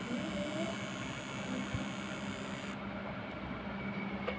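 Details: Changhong 21-inch CRT TV that will not start though the indicator light is on: a steady low buzz with a thin high whine; transistor and transformer swaps did not help, a failing flyback transformer was finally replaced.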